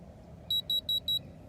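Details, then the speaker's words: Innova 3011 code reader just plugged into a car's OBD port: four quick, evenly spaced high beeps, then quiet. This is the normal signal while it reads codes. "Okay so what you're gonna do is hook it up just like that, you'll hear a beeping sound."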